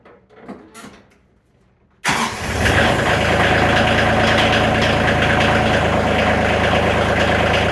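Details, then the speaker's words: Tractor with about 210 hours that would not start over half the time, after replacing the fuel shut-off solenoid: cranks briefly, catches at once, settles to a steady diesel clatter; smoother, more throttle-responsive. Normal idle. "it actually sounds like it's getting more fuel so I'm hoping that was the issue it seems like it's running smoother and more responsive on the throttle"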